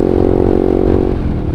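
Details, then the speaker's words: 2016 Honda CBR 150R facelift riding, recorded on an action cam with an external mic: dry metallic clatter and whir over the engine drone from the noisy stock chain and sprockets, louder than the standard exhaust; owner says an aftermarket gearset fixes it. "yang saya kurang suka dari CBR 150R, suara berisik dari rantai."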